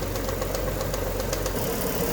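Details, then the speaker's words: Alfa Romeo GTV Cup, off the road for years, warm idle before head gasket block test: fast light metallic rattle over the engine note from a worn cam belt tensioner. "as you can hear you can hear that tension out rattling its head off for the tongue Bell"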